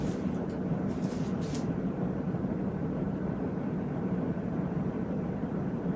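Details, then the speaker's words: Vintage 1980s Paramount Emperor 52-inch ceiling fan on high in a basement on a shortened galvanized pipe downrod: a steady, low, helicopter-like whooshing drone with even blade chop and no ticks or rattles. Normal high-speed running; it quiets down severely on medium. "This fan's probably designed for a higher ceiling, judging that, you know, airflow. It also sounds like a helicopter, so bonus points."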